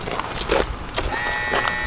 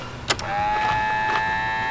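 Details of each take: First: Kohler EFI engine, aftermarket high-pressure fuel pump: after clatter, a thin steady high whine as the pump runs on key-on; pump works but failed in the old case. Normal fuel pump prime. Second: Kohler EFI small engine with aftermarket high-pressure fuel pump: starter churns it over evenly and fast for several seconds but it never catches, as fuel must first be fed through to the pump canister; no fuel delivery.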